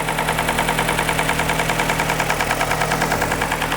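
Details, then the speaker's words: 2003 Nissan Sentra SE-R 2.5L after timing chain replacement: steady idle with a regular light knock about three per second riding on top; oil level is fine and lifter buckets under the cams are suspected. "I don't like that noise. Oh, and it's drive-by-wire, so I have to use the gas pedal to raise the RPMs. Don't know why we're getting that noise."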